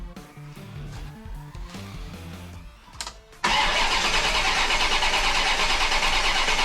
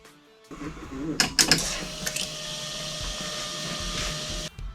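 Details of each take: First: 1990 Chevrolet Corvette stranded on the road: starter spins steadily about four seconds without catching after re-seating a loose wire, which didn't help, crank no start, injectors not firing; distributor module next suspect. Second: 1990 Chevrolet Corvette with no-start condition, fuel pump jumpered directly from battery: after a few clicks a steady even electric hum holds about three seconds then cuts off; pump works with plenty of fuel pressure, ignition next suspect.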